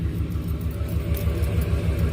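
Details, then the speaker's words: Lifted truck: deep rumble pulsing several times a second from under the truck at slower speeds; driveshaft implicated, lift kit has altered driveline angles. "Customer states we have a noise coming from under the vehicle at slower speeds."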